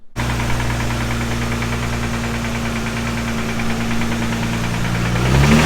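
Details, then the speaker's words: Nissan 350Z after engine swap, newly installed questionable motor that lacked oil pressure and now has it: idle with rough uneven rapping knock a few times a second, louder with revs; bottom-end knock. "Well, that definitely didn't sound good. Yeah, so that's kind of where we're at here."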